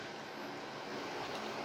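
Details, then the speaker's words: PC powered on after replacing failed EVGA 750 BQ 80+ Bronze PSU (which had ticking, coil whine and shutdowns): fans and both GPUs spin up to a steady, even rush with no clicks or buzz; system posts normally. "okay starting off well let's check both of our gpus they seem to be spinning and there we go so perfect we're posting"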